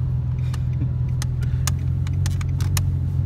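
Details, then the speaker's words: Nissan 350Z at idle after NRG quick-release steering wheel install: sharp uneven light clicks as the wheel turns; owner suspects the ribbon was pulled during removal, noise later quieter and gone. "it's a little problem with it though it's clicking I don't know why I'll have to fix it"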